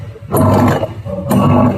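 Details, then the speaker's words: Haier washing machine running a wash cycle gives loud, coarse roaring bursts from the wash motor gearbox that rise and fall with the wash strokes; the owner suspects a worn brake or a loose pulley. "इस machine को चलाने से इसके gear बक्से से आवाज़ आ रही है। ये देखिए मैं मशीन को ऑन किया, अब इसको मैं चलाऊंगा तो देखिए गियर बक्से से इसकी आवाज़ आ रही है।"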